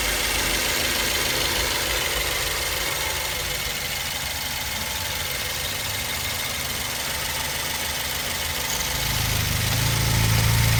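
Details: BMW 116i facelift 2010, 122 PS, 125,000 km, petrol idle: steady fast ticking chatter about four beats a second over the hum; owner asks whether it is normal, source unclear, possibly valvetrain.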